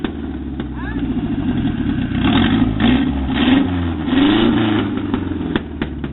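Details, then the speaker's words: Mazda truck with an engine swapped in from a 1994 Ford Ranger, first run on an old belt. The four-cylinder idles, then revs rise and fall smoothly without knocks or misfires. Normal running. "Got it running. Got it. Yeah, we got one spark plug back here we can't get to yet, but we're not playing with that yet. We got it running, boys."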